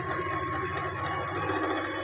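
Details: Singer 8280 sewing machine, after cleaning and oiling to fix a handwheel jam and noise, run with the presser foot up: fast, even mechanical whirr with a light steady clatter, no creak or catching; runs smoothly.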